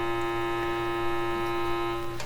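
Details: Canadian Marconi Model 93 radio's old speaker fed test tones from a signal generator: steady tone sounds buzzy and impure with strong overtones. Speaker distorting, cause not pinned down.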